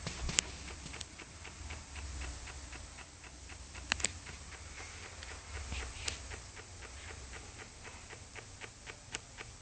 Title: JBL SUB has RATTLING NOISE What do you think guys?